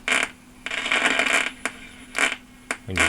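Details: 1976 Lloyds Monteverdi stereo, likely exposed to moisture: sharp irregular crackling bursts over quiet hiss only on AM while tuning, FM fine; owner suspects the tuning capacitor, and lightning outside adds crackle. AM static crackle while tuning.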